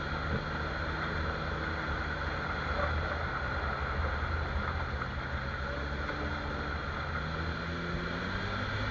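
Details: Jeep XJ front axle on test drive after spraying dry lube on the suspected axle-shaft u-joint with cracked rubber: only steady road and wind rumble, no clicks, clunks or squeaks; noise gone, u-joint confirmed as the cause.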